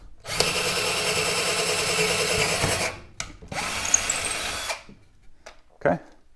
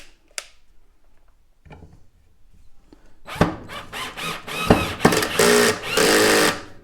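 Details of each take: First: Black and Decker LDX120 drill on its drill setting: a steady high motor whine holds speed through two drilling bursts without stalling or clicking as it drills through; cuts normally. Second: Black & Decker LDX120 drill driving a screw on a low torque setting: the motor whirs in short bursts that break into rapid ratcheting clicks under load. The clutch is slipping from too little torque.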